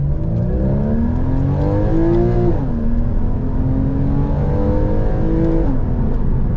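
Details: Porsche 981 Boxster on its first drive after a new RR Racing billet deep sump oil pan was fitted (insurance had quoted a new engine); revs climb smoothly through the gears with no knocks or rattles. Normal engine under acceleration.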